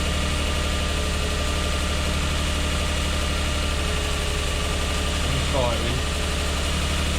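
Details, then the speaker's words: Lexus IS200 with code P0301, cylinder 1 misfire, in auto, after first repairs: steady idle with a slightly uneven, lumpy beat about four pulses a second; misfire persists with no warning light or stored codes, cause not yet found. "it is firing that injector yeah it's definitely not right there's no warning light on at the moment but it's definitely not running right"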